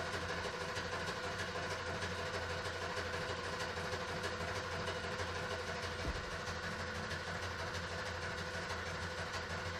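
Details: 1973 Ford Maverick 302 V8, first run after two years sitting, on a small amount of fresh gas. A dense, slightly uneven idle rumble at about three beats per second never settles; the owner thinks the timing is a bit off.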